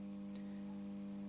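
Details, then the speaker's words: Cheap Tivoli-lookalike radio during repair: a faint, steady low hum at one pitch under near-silence. This is mains hum; a power-supply fault or a bad original design is suspected, not confirmed. "It's humming. So there is definitely something wrong in the power supply. Or it was a bad design right from the start."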